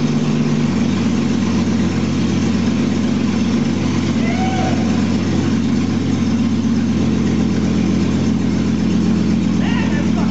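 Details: 2001 Jeep Cherokee Sport, first startup of the newly installed rebuilt engine with the exhaust not yet hooked up, after poor connections were fixed. Loud, steady, even rumble at idle with no knock, miss or tick; it runs normally.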